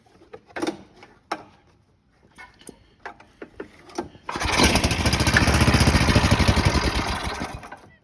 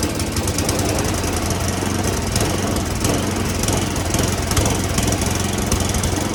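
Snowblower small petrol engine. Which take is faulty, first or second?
second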